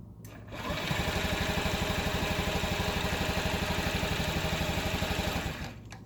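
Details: 2012 Honda Ruckus cranks on the starter at an even four chugs a second but never fires, kick start also fails; fuel and spark confirmed, carb cleaned, ECU reset; solved by a brand new carburetor, the old one super gummy.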